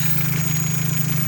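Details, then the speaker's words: Opel Zafira 1.8 Z18XE idling after INA hydraulic lifters were disassembled, flushed in petrol and refilled with oil after ticking; gas (LPG) injectors covered with a rag to mute their clicking; smooth steady idle, quiet valve train: normal idle. "короче гидрокомпенсаторы не стучат я прикрыл тряпкой форсунки газовые чтоб они они издают щелканье тут нет у таких со стуком как слышно двигатель работает чётко"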